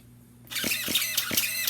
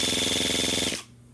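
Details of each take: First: Starter on a model engine on 7.4 V through a 7.4 V speed controller: labored whirring with a high whine, pulsing about 2.5 times a second, straining and stripping belts; weak starter, slow cranking. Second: Starter on a model engine run on a 3-cell 11.1 V battery, relay bypassed by hand: brisk, high-pitched whirring crank with a fast even chop for about a second; normal fast cranking.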